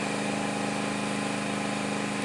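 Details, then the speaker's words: Bohmer AG 2700W petrol generator (not pure sine wave), warmed up, feeding through extension leads a heavy appliance tried after an 1850–2200W kettle: steady, busy, mid-pitched drone at constant speed with a firm hum, pulling hard under heavy load but running evenly. "right so as you can hear it really does pull on the uh generator so you can imagine what this does to your electric bill"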